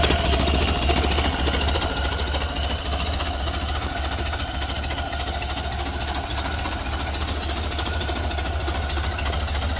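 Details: Ford Model A off the road 65 years, after fresh fuel, battery and ignition wiring, partly choked: slow, even chuffing low idle, three to four pulses a second, no misses; healthy.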